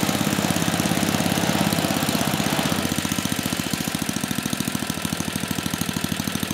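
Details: 34-year-old Tecumseh H30-35387Y on a Troy-Bilt Tuffy tiller, with a new clone carburetor after a no-compression repair; putter settles from a faster run to a steady lower beat near three per second, firing evenly; running normally.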